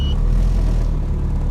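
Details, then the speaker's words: Honda CRX turbo (V2) after a partial Walbro 450LPH fuel pump install and DIY push-start button, no-spark issue unexpectedly resolved: engine catches and settles into a steady, even low rumble with no misfire. Normal start. "it just randomly solved my [ __ ] no spark issue"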